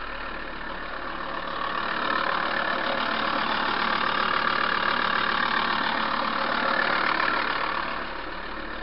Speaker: give it a turn fires up straight away so say last down round it was literally as soon as I turned the key the lights would just cut completely on the dash so that's the first time it's fired up in about the last three weeks or so